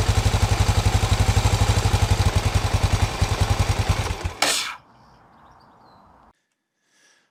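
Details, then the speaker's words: Honda XBR 500 single, stalling at idle most days, a known common issue; valve clearances not yet reset. Thumps unevenly at about four beats a second, fading, then cuts out abruptly; stalling at idle. "as you can see with my xbr the um installing um some days it's perfectly fine but most of the time it stalls and it's quite annoying to um ride with"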